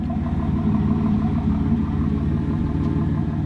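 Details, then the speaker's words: 1999 Pontiac Firebird with dual exhaust, used car inspection: deep even exhaust rumble with regular pulses, no ticks, knocks or rattles; healthy exhaust note. "dual exhaust still sounds good, and when you look at the overall shape of the car, it's a great starter car for fixing up because there's no gigantic bashes."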